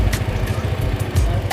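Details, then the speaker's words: Suzuki Jimny petrol engine at idle, injector-disconnect test: pulling cylinder 2 barely changes the lumpy, uneven thump, showing that cylinder is weak and barely firing. "ये देखें इसको मैंने निकाला, इसमें से इतना काम नहीं कर रहा, हल्का फुल्का काम कर रहा है, ठीक है।"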